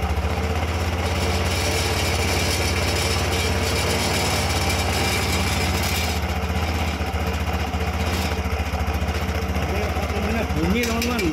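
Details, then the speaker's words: Yamaha Xeon carburetor scooter CVT after reassembly, loose part that caused the noise fixed: steady even engine note with smooth drive hum, no rattle or knock from the belt side; transmission now runs quietly. "Ternyata itu longgar. Sekarang sudah lancar. Nah, begitulah, teman-teman."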